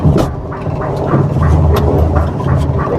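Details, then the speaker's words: Maruti Suzuki Alto 800 at idle, steering turned while stationary: dull thuds every half second from the strut spring top area, heard inside the car on both sides; worn strut top mount bushes, both sides. "ഇപ്പൊ തിരിക്കുന്ന സമയത്ത് ഇങ്ങനെ sound വരുന്നുണ്ട് ഈ ഷോക്കിന്റെ ഈ spring വരുന്ന ഭാഗത്ത് കണ്ടോ വിട്ട് വിട്ട് വിട്ട് പിടിക്കുന്ന സൗണ്ട്"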